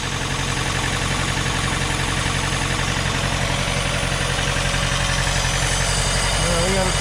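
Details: 1987 Chrysler LeBaron Town & Country Turbo, bought at a salvage auction with only 4,000 miles since 2005, running for the first time in probably several years after an oil change. Even, steady idle with a regular pulse and no misses or knocks.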